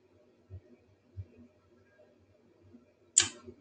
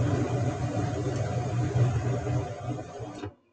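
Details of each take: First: Mid-efficiency gas furnace, third ignition try after reconnecting the flame sensor: a few quiet clicks, then burners light with a steady even roar and fan rush that holds; error LED clears, normal operation. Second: Mid-efficiency gas furnace with flame sensor disconnected, second of three ignition tries: burners rumble about three seconds then cut to silence as no flame is sensed; LED flashes error code.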